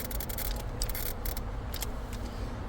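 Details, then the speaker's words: 2007 Honda Civic, fuel pump relay pulled, key held to start: low steady buzz with fast irregular clicking from the dash start cut relay, no crank; cause is a faulty ignition switch, assuming battery and charging are good. "I took it out so the car doesn't start when I'm diagnosing you hear it it's making that sound my car is not starting when I turn the key"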